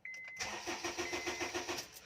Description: HONDA CRV 2010 MODEL: ENGINE CRANKING BUT WON'T START ( MADALI LANG PO ITONG GAWIN )